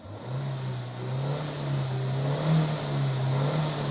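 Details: Hyundai car after rodent-chewed wiring repair and ignition coil check for misfire: engine revs cleanly under acceleration with a steady drone, no stumble or popping; running smooth, fix not yet road-confirmed.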